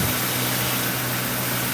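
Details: 2005 Ford Crown Victoria Police car idling right after a full spark plug change while checked for fuel leaks; even, steady low hum with no misses, ticks or stumbles, so the engine idles smoothly and sounds healthy.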